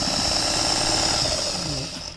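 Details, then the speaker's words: Thrift-store Singer 404 sewing machine, still working after many years; fast, even high-pitched mechanical whirr at steady speed, then winding down, stitching a perfect stitch; runs smoothly and healthily. "I want you just to hear the power of this machine. It threw down an absolute perfect stitch."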